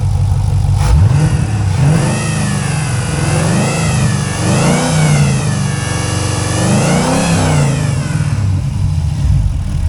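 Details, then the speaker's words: 2004 Pontiac GTO 5.7L LS1, automatic, Trick Flow heads and FAST intake, possibly a mild cam; deep V8 burble rising and falling cleanly through several blips with even firing and crisp return to idle, healthy engine. "Sounds like it almost has like a gear drive, but it might have a baby cam in there, nothing real crazy."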